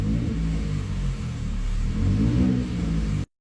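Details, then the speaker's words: Chevrolet Traverse with an exhaust leak: deep, loud rumble rising with revs, far louder than it should be, traced to a hole in the exhaust pipe ahead of the muffler. "this is a Chevy Traverse not a V8 monster race car right so it shouldn't sound like"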